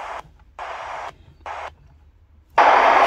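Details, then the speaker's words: Sony ICF-SW30 shortwave radio, audio adequate but no capacitor fault; bursts of hiss on every tuning step and no station found; failed crystal diode in the oscillator circuit, possibly blown by external antenna near a strong local station. "and this radio has a enough audio but cannot tune the station and this one doesn't have a capacitor problem it has a crystal diode in the oscillator on on the in the oscillator circuit"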